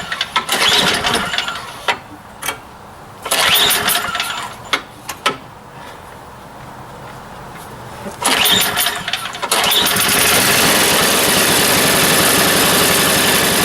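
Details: Neglected snow blower left outside since last winter, fuel stabilizer in the gas: a few short pull bursts with sputters, then the engine catches at about ten seconds and holds a steady, even run.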